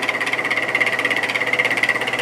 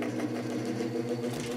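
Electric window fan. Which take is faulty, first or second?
first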